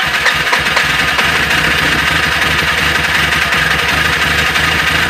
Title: BMW E36 hard start